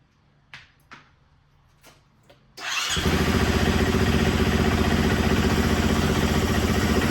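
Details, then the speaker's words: Motorcycle that sat for years, started on fresh premium gas without choke: a few clicks, then it catches and settles into a steady, even beat about four pulses a second, sharp throttle response; normal running after start, before oil change. "Wow, the throttle response is amazing. I'm literally like... Vroom, vroom."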